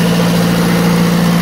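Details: Onan 15.0 DJC diesel genset (12.0 DJC rebuilt to block, 15 kW 120/240 VAC generator fitted), first start after rebuild, no load, cooling tins off, 50W Rotella oil: steady even drone, strong low hum, no knocks or misses; good oil pressure, running smoothly.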